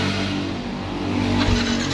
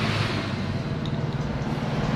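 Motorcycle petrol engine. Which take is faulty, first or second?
first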